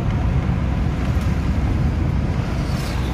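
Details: Maruti Suzuki Swift diesel at about 134,438 km, after work for white and black smoke: smooth, even low rumble with no whistle, knock or surging; smoke now normal. Normal running.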